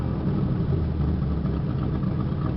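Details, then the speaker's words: 1986 Oldsmobile Cutlass Supreme, 305ci Chevrolet V8, warming after cold start following 60 days parked: low rumble with uneven loping idle, rougher as choke comes off; owner suspects sticking choke or carburetor issue. "Notice when the choke goes off, she kind of idles a little rougher. I don't know why that is."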